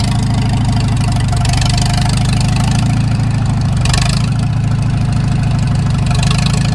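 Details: Farmall Super M tractor engine at low idle, before an engine rebuild: a steady, even knock beats under the heavy exhaust note. The loader is being removed for the rebuild to find the cause, which is still unknown.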